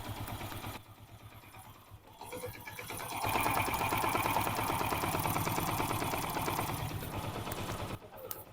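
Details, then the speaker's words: Hero Splendor iSmart 110cc motorcycle with earlier timing-chain noise and no-start, idling after the timing chain was replaced (carb cleaning and a new clutch plate had not fixed it): soft even putter with no chain rattle; now smooth. "इस bike में हम कुछ नहीं किया सिर्फ normally टा चैन डाले हैं और प्रॉब्लम सॉल्व हो गया"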